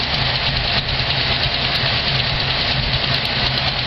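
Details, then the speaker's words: Car cold-started after battery installation, having sat 3 to 6 months under a car cover: steady even idle with a soft hiss over it, no knocks or misses, warming up; normal cold idle. "As you can hear, Project Esmeralda has been resurrected after approximately 3 months to 6 months just sitting with this car cover over her."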